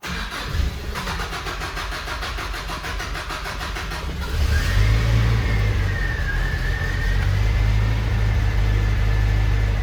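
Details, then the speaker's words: 1985 Mitsubishi Pajero on its original carburetor after replacing all hoses: steady cranking, then a lumpy, uneven idle that never settles, unchanged by the hose job; carburetor pulled for cleaning and later replaced by a Weber. "The same. Okay, so it still doesn't sound good, which means we're going to pull the carburetor and clean it."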